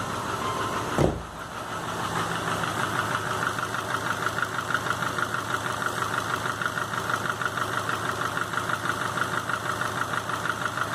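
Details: 2005 Subaru Legacy GT rebuilt (refurbished block, new crank and bearings, used rods/pistons and heads) after spun rod bearings; warm idle oil pressure 22psi, new plugs, no exhaust leaks, used VF40 turbo: sharp regular knocking about three per second at idle, cause unknown.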